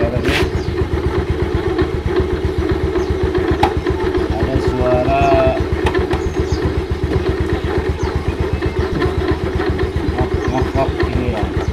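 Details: About 2007 Yamaha Mio Sporty, slow pickup: fast even idle about four beats a second with a coarse rasping grind from the CVT at idle and throttle, caused by the kick-starter pin rubbing the pulley shaft to the crankshaft.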